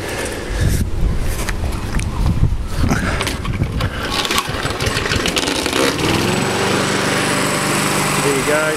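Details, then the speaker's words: Rover 50hp ride-on mower single-cylinder engine, regular oil and filter servicing, rusted chassis that rattles: after rough clatter at start it settles into a steady, even drone with no misfire or knock; normal running. "so there you go as you see the engine run sweet"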